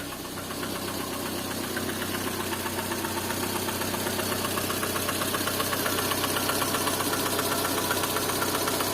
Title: Стук двигателя калина